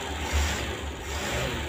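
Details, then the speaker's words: Suzuki Carry 1.0 after spark plug replacement for misfiring, weak, fuel-thirsty running: low, steady idle hum with an even pulse and no stumble or shake. Engine now powerful, efficient and vibration-free; normal idle. "Sekarang mesin ini bertenaga, efisien, dan tidak bergetar, kawan-kawan."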